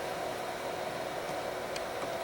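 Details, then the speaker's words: Power Mac G4 Mirror Drive Door "windtunnel", dual 1 GHz, 256 MB DDR, 80 GB HD: constant loud airy roar with a steady hum underneath, no rattle or grind; machine getting hot; loud cooling fan noise. "But uh you can definitely hear it's making quite the noise."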